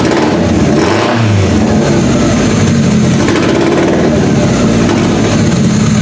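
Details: Toyota Camry engine swapped into a banger/derby car, first start with EGR delete and new simple wiring harness: loud uneven lumpy running with wavering revs that never settle; suspected over-fueling from something missed, cause unconfirmed.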